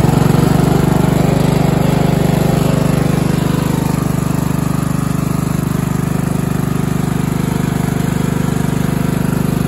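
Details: Craftsman LT1000 14.5 42-inch riding mower after a new spark plug, cleaned air filter, new fuel line, new blades and new battery; it previously ran very poorly. Now a steady, even single-cylinder drone with no misses or surging: normal running.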